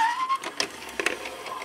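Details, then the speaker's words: 1987 Panasonic AG-6200 VCR: brief strained whirring bursts and scattered clicks, the mechanism never running smoothly; tape loading is sluggish and it keeps ejecting the tape; owner suspects a worn motor or insufficient power, unconfirmed. "it sounds really bad it's it knows that something's wrong keeps putting the tape back out but yeah it seems a little sluggish I think this motor here might be worn out"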